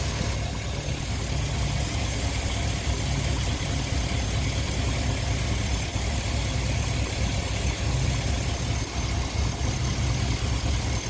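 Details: 2002 Chevy Avalanche after a motor swap, first start during a 30-minute break-in period, uneven lumpy idle with about two stumbles a second and a blinking light; misfire at idle, owner suspects twisted plug wires.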